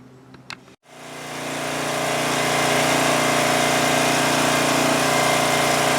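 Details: 2002 Coleman Powermate 5500 generator after cleaning the carburetor and backing off the engine speed to cut output from 135 V toward 115 V: it starts and settles into a steady, even drone with no hunting.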